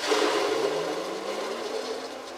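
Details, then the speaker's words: Microhydro turbine fed from a spring 270 ft above and 800 ft away, first start of season with new hoses: a faint, weak hum that fades, barely spinning with little flow while a hose was being pressure tested. "all right that barely spun up you can hear it's barely spinning"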